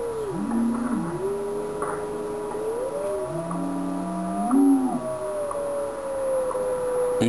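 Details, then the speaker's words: Yaesu FT-101ZD transceiver in tune mode on WWV at 10 MHz: a pure beat tone glides down and up in pitch, dropping away at zero beat when tuned exactly on frequency. "so what we're doing is that we're using the tune button here to generate a tone which is plus or minus when we hear that tone it's it's setting and when it goes to zero beep"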